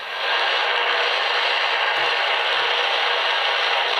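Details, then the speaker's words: Cell phone held near an AM/medium-wave receiver: a harsh static hiss rises when its screen turns on and decreases when the screen is turned off. This is RFI from the phone's lit screen. "which decreases when I turn off the screen again"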